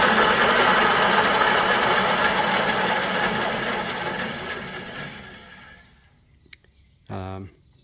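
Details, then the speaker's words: Small garage-sale bandsaw after cleaning, re-greasing, and setting blade tracking, bearings and spacings, run with the plastic safety guide removed: even whirring blade noise, no rattle or scrape, coasts smoothly down after switch-off; normal running. "sounds like a bandsaw, but with this in place it sort of rattles a bit, just because it's plasticky, I think."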